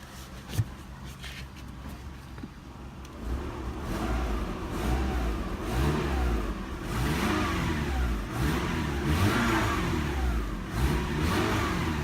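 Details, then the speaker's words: Subaru after a rough off-road trail that dented the transmission pan and bent the exhaust onto the driveshaft, revved to check for exhaust leaks: faint rattle over the exhaust note, loudest on the rev; source unknown, rattle predates the trail. "huh there's a little bit of rattling noise there was a rattle noise before but it wasn't rattling looks like a clunky noise but I guess that noise is gone now it's returned by a rattling noise so I still don't know where that noise is coming from"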